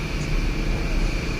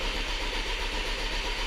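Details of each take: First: 2011 Volkswagen Tiguan 2.0L turbo crank-no-start with code 01259 fuel pump relay open/short to ground: with the pump relay jumped, the engine starts and runs with a steady even hum, no misses; bad fuel pump module suspected. Normal running. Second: 2011 VW Tiguan 2.0 turbo, crank no-start with code 01259 (fuel pump relay open/short to ground): steady starter whir, even compression pulses, no firing; fuel pressure near zero and not building.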